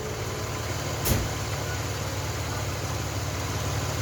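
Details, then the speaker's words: Hyundai Galloper LPG engine after vaporizer leak repair, vaporizer temporarily fitted, settings to redo next morning: starts at once, settles into steady even idle without stumble or hunting. "한번 시동 한번 걸어 보겠습니다 일단 시동이 잘 걸리는게"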